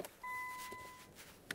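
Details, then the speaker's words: Nissan GT-R that won't start with a flat battery, after a brief charge: short electronic chime in a quiet car as electrics wake, then power dies again almost instantly. "アドピンピンポンポンなってきたなぁ今ねsカップescapねすカップこんな感じでちょっとねやってんですけどまあこのバッテリ車だめだねぇあーもう亡くなったんじゃねもう電気つかねぇ"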